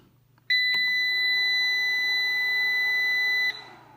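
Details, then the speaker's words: Inverter/UPS powering up after repair and reassembly, with its bridge transistors checked beforehand. A single clean high beep of about three seconds, then quiet. It works; normal power-on beep. "Ні, на цей раз повезло, працює."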